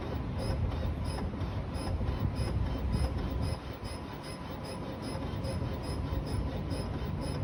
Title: Strange noise from 2020 explorer with cold engine